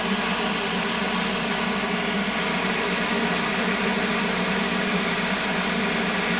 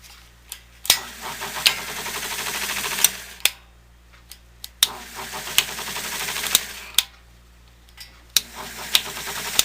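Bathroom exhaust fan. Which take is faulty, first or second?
second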